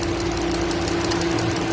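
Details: Dodge Durango engine idling: light steady knock over a low hum; knock clear but source not pinned down.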